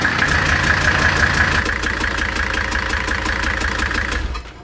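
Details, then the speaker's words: 1978 Mercedes 300CD coupe with freshly swapped 1984 OM617 turbo diesel from a donor car: even diesel clatter at steady idle, then winds down and stops cleanly; swapped engine runs fine. "Well, we finally got it in and got it running, so it's pretty exciting. Finally, it's in and it's running."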